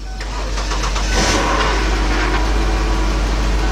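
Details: 2001 Lincoln LS 3.0 after main fuel pump replacement, jump-started on dead battery: engine catches quickly, revs briefly, then settles into steady even idle; starts and runs normally.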